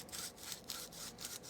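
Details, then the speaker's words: Blitz ZZR coilover top mount turned by hand after removal, car had clunking and grinding when steering: dry, gritty grinding in rough strokes; bearing seals broken inside and out and a ball bearing missing. Worn strut top mount bearing. "As you can see, seals have broken on the inside and on the outside, so I'm guessing that's where my noise is coming from. It's buggered, mate."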